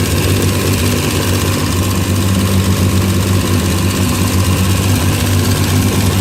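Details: Race car after new engine build and gearbox conversion, running during prep before testing: loud, steady low drone with an even firing beat and no knocks or rattles; engine runs smoothly.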